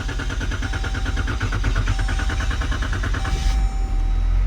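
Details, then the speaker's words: 2014 Dodge Durango 3.6L V6 with replaced remanufactured PCM, codes P0335, P2166/P2167, P2115/P2116: even starter cranking about three beats a second drags over three seconds before catching; extended crank traced to crankshaft position sensor wiring fault. "We got a pretty extended crank there, but the engine did eventually start."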